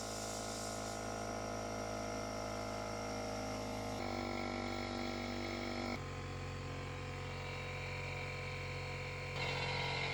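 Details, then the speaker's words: DeWalt portable air compressor after replacing the leaking drain valve (N286039): steady hum with no hiss of escaping air, no leaks in hoses or other components, and it now shuts off at 150 PSI. "No tiene ninguna fuga ni en las mangueras ni en ningún otro componente. Entonces considero que el equipo todo ya está funcionando bien."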